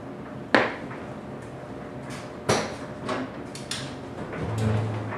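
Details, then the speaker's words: 2000 Ford Ranger 2.5 L at idle, after replacing throwout and pilot bearings: heavy clacks at irregular intervals, noise comes and goes; owner suspects slave cylinder or whole clutch, not confirmed. "As you can hear, when I started the truck, the noise went away and then it came back. It does that every so often where the noise will disappear, it'll run fine, and then it'll come back with a vengeance."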